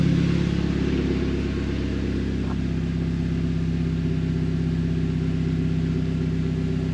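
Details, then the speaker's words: Audi TT Mk2 8J TFSI (K03 turbo, original actuator at 120,000) with new Scorpion downpipe and realigned tailpipes, started to check for exhaust leaks before its stage 2+ remap. Steady, even, smooth idle that sounds quieter and better, with no puffing or ticking from a leak. Normal idle. "it don't sound as loud it sounds better right we're started so that's something it does sound a lot different"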